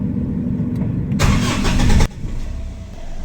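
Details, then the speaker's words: 2010 Mitsubishi Strada 4D56 diesel, previously hard starting with low power and EGR codes, after injector calibration and a new relief valve and suction valve assembly: a brief cranking burst, then a one-click start into a steady, non-shaking idle. "so maganda naar ni one click na at maging maayos na yung k hindi na siya nanginginig"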